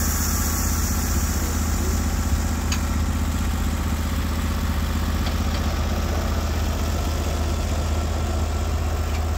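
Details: Norwood HD36v2 bandsaw mill, day two testing new roller guides that replaced the ceramic guides, slabbing big black oak through bark at about 24 in wide: a deep, steady engine drone holds even pitch under cutting load with no knocks or surging; the mill runs healthy.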